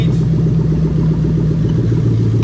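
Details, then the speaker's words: 3UZ-FE VVT-i V8 with 5-speed auto in USDM Lexus IS300, new plug-and-play harness: deep even rumble, steady low pulses, no misses or knocks, no exhaust fitted; idles smoothly. "and there you go so now she's running all nice and sweet"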